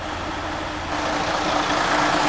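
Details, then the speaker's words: Mercedes-Benz Actros 2646 OM501 diesel started right after ECU remap for engine and gearbox optimization: deep, even idle with a steady beat, no knocks, rattles or whine; healthy. "dann starten wir mal den om501 das einfach Klang unglaublich nicht zu vergleichen mit den Heuen eur6"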